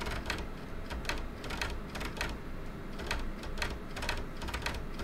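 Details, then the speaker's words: Optical drive reading a badly scratched CD treated with toothpaste for data recovery: irregular clicking, chattering and clunking over a low whir as it spins up and down repeatedly, struggling to read the disc. "the drivers just been spinning up and spinning down and making what something weird whirring and clunking"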